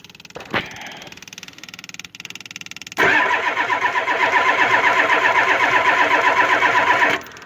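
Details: Ford 7.3 IDI diesel cold, after spraying a spray-lube into the intake: cranks at about four beats a second for four seconds and never catches. Spray lube failed as a starting aid.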